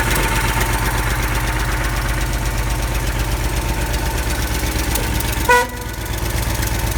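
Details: Ford F-series highboy truck with a freshly fitted engine and gearbox, replacing the old engine that threw rings and leaked oil: quick start to check an earlier noise is gone; steady, even idle with no ticks or knocks, one short horn toot.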